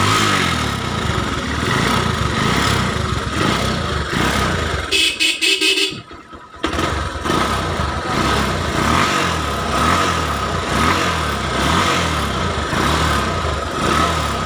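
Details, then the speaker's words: Small single-cylinder Honda motorcycle after kick start, spark plug refitted: runs steady and even with a short dip midway; the no-start fault was traced to the ignition key switch. "Oke teman-teman motornya udah hidup Ya"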